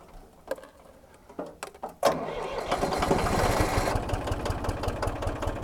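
A few scattered clicks, then a long cranking run of uneven pulses at about two and a half per second that never catches.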